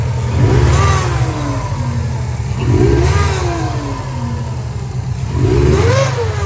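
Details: 2003 Subaru Impreza WRX (TA-GDA), EJ205 engine, 5-speed manual, 148,345 km; three rev blips each with rising and falling whistle over rough roar; failed turbo: compressor blades shredded, thrust play, coolant and oil on exhaust side; noise even after engine stops.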